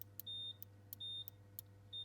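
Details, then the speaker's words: Ferrari F355 Spider roof at halfway: three short high beeps about two-thirds of a second apart over a faint hum from the adjustable roof position micro sensor; signalling normally. "the second one obviously is the one up here alright so you can again that can adjust if you're not getting this beep"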